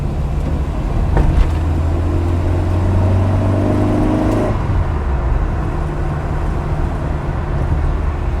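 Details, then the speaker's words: Mk1 Ford Fiesta with Zetec conversion, heard inside the cabin after the fuel pumps were reversed and remounted on a thicker steel plate with bitumen; the high-pressure pump is audible, the previously noisy low-pressure pump is inaudible; normal fuel pump noise. "You can definitely hear the high pressure pump making that wow noise, but definitely can't hear the low pressure pump, which was the one that was really making the noise before."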